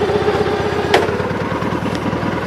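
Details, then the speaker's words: Gravely 8199KT after governor replacement, motor previously halfway apart, different carb and ignition: steady idle with quick light rattling tick over the firing beat that goes away in gear; owner suspects a bad clutch bearing from sitting. "Runs way better. I don't know if you guys notice that noise goes away whenever it's in gear. I'm starting to wonder if it's a bad clutch bearing from sitting."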